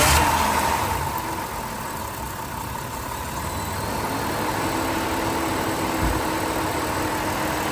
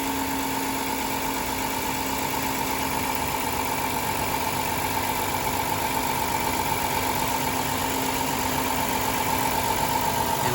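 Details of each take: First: 2007 Dodge Caravan idling with the engine coolant temperature sensor (ECT, behind the ignition coil) unplugged, running voltage about 14.1–14.2 V: an even whooshing hiss from the cooling fan running full time over a steady idle. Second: 2007 Dodge Caravan with sequential multi-point fuel injection, engine running while injector six is back-probed at about 14.1–14.4 V: steady, even idle with a constant hum and no knocks or misses, running smoothly.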